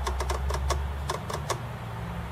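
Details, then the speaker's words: Acorn Archimedes A3000 floppy drive, not original to the machine and labelled unreliable, inserting and reinserting a disc and pressing space; sharp ticking head steps then a pause as the read retries and gives an error. "press the spacebar let's just try that and it may or may not read no see it's giving us an error so just put it out put it back in press space again"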